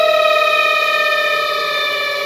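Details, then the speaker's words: Twin-tub washing machine on the spin timer gives a steady high squeal from the bottom, between the spin shaft and the center seal of the spin tub, due to dryness and wear: spin shaft seal squeal. "la máquina genera ese molesto sonido en la parte inferior digamos es el problema está entre el eje y el sello o empaque que va en el centro de la tina de centrifugado"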